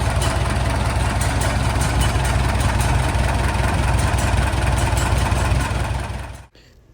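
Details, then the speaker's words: Farmall M tractor with a new reproduction muffler replacing the old one that blew out on the bottom. Steady, low, even chug at idle with no exhaust blowing or popping; a normal idle. "I also put a new muffler on this M. My old one blew out on the bottom. This is one of the reproduction styles from Steiner Tractor Parts and it sounds pretty good, I think."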